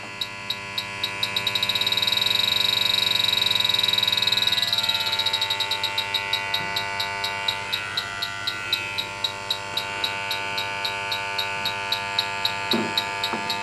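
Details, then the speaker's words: Rapid, steady high-pitched electronic beeping (about four per second) as a refrigerant leak detector alarms at the coil of a house AC that is not cooling; the coil is extremely dirty, leaking, and needs replacement. "but I'm gonna go ahead and run the leak detector in here and see if the if it hits off all right we're picking up one refrigerant leak right here"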